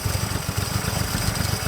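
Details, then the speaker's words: 1950 Chrysler DeSoto flathead six, 6-volt positive-ground system, first start, running on fuel poured into the carburettor rather than its own supply: quick even low chuffing at steady idle; first start idle. "oops I didn't I haven't done anything and it's idling how is it idling do you see that it idles and it runs"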